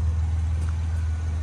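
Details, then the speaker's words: Warmed-up 2014 Jeep Wrangler after repairs, test drive checking whether check engine light or limp mode returns: deep, even engine hum with steady low rumble, no knocks, ticks or misses; now pulls properly, running normally. "look at that this thing actually pulls now all right so that's it BMW is done got it running spec got it looking spec"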